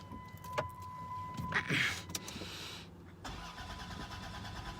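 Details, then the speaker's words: 2002 Dodge Grand Caravan Sport 3.3 L, won't start after dying when low on fuel and adding five gallons: warning chime, then starter cranks at an even pace but engine never catches; crank no start. "and that's all I get so as you can hear it sounds like it's about to start but it doesn't"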